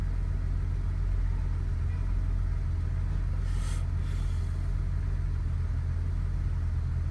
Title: BMW E60 535i cold start and rough idle